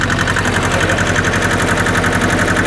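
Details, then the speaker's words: Hinomoto E230 diesel tractor, just revived after years parked: steady, even chug at a low idle with no misses or knocks; healthy. "see how let's see how low it idles that s really good Pur kitty purr no kidding"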